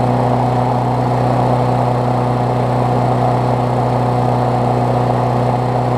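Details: Briggs Classic single-cylinder swapped onto a Bolens push mower deck, first start after fresh gas and 16 oz oil, temporary throttle setup: smooth, constant drone, steady pitch, no surging, knocking or misfires; running healthy.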